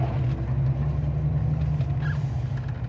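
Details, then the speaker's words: 1978 Pontiac Firebird Formula, W72 6.6L 400ci V8, 4-speed Super T-10, warming up: low, soft V8 burble at an even 800–900 rpm idle, super quiet, with no lifter or exhaust noise. Normal healthy idle. "We're idling about 800-900. Super quiet, no lifter noise, no exhaust noise, no nothing."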